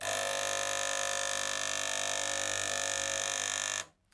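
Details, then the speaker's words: Gaggia Cubika espresso machine that heats but gives no water or steam: the pump buzzes loudly for about four seconds and then cuts off, drawing no water. The element is hot and a blockage is suspected, so the owner tries blowing through the hose. "There's clearly no water going in there, so what we need to do is try and maybe blow this through."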